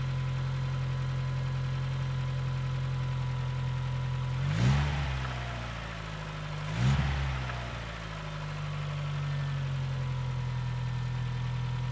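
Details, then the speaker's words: NA Mazda Miata after new primed hydraulic lifters and an oil change from 10W30 to 5W40: smooth idle with two quick throttle blips and no lifter tick; old lifters were worn and discoloured. "there you have it as you saw the lifter noise is pretty much gone now this car is far quieter than any other n a miatas that i've heard"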